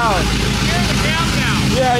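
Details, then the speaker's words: Cammed 5.3 V8 Chevrolet Silverado, first start after fitting long tube headers, x-pipe, new plugs and wires, no exhaust yet: very loud choppy idle with uneven loping rumble, oils burning off; running as intended. "Brock's gonna start it and we'll give you guys my reaction because it's going to be very very loud right now I just want to hear the chop though"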